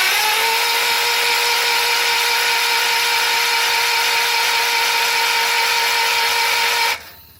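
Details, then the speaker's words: John Deere 316 tractor cranking after an electric fuel pump was installed and the engine primed with fuel: steady starter whine for about seven seconds without a single pop; cranks but won't start, spark seems hit and miss, points suspected. "Oh problem is I'm not getting it to pop at all we're gonna see we still have a good spark"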